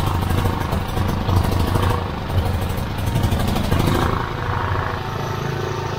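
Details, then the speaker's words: Petrol generator that ran rough and died, tested with air filter removed: even, steady putter at constant speed, no surging or stumbling; cause was the paper air filter clogged, probably by oil blow-by from the valve cover breather. "clogged air filter um i'm guessing that's probably from the blow by from the valve cover breather which has saturated this filter and um it just made it so the air can't get through"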